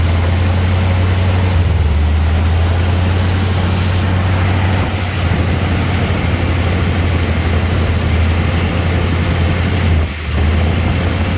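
Low, steady idle drone that sags and recovers every few seconds instead of holding even; the idle is hunting.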